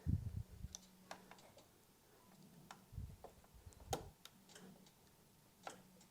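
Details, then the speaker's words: 2018 VW Touran with intermittent morning warning lights and no ECU communication: sharp irregular clicks as the TSB-listed known-faulty relay 645 is pressed and wiggled; pressing it restores communication, confirming the faulty relay. "this relay was the same one was on the tsb apparently is a 40 a known faulty component 645. if i wiggle it if i press it i can hear some clicks"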